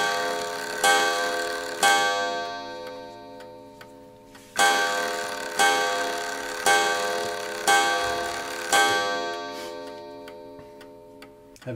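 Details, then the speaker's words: Ansonia steel kitchen clock, checked before servicing with the movement slightly out of beat: clear bell strokes about a second apart ring over a steady tick. The strike train strikes properly, so its parts are probably correct. "that means that the components of the strike train are probably correct but you won't know till we get in"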